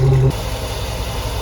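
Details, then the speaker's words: 2004 Chevy box truck V8 after battery disconnect and repair, check-engine light cleared: a brief rev, then a steady, even low idle with no misses or knocks; sounds normal. "oh sounds like a normal man that's boring what you do what you got to do and the engine light clear"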